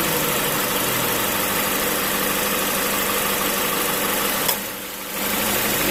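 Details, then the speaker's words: 2016 Mazda 2 Skyactiv, 110,000 km, idling: normal until the AC compressor's magnetic clutch engages, then a heavy, loud rushing drone; owner suspects compressor leak or low oil, and a shop advised replacement. "jadi kompresornya ini kalau bukan bocor sih Ya mungkin lebih ke arah kurang oli atau seperti apa tapi suaranya itu jadi sangat berisik jadi suaranya itu seperti ini"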